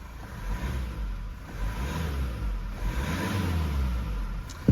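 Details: Mazda 6 diesel, 192,000 km, after throttle body replacement for P2118 throttle actuator range/performance: smooth rises and falls through a few clean revs, no knocks, rattles or hunting; new throttle body working normally.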